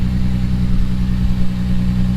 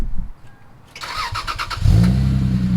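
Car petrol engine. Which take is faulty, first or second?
first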